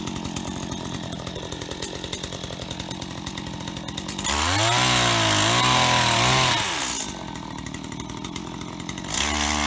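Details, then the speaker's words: Stihl HT75 pole saw from auction after cleaning; crisp two-stroke idle, clean rise to steady high scream while cutting, smooth drop back and quick blip; normal running and cutting, chain sharp. "so there we have it ht75s from an auction and they work perfectly and they're even sharp"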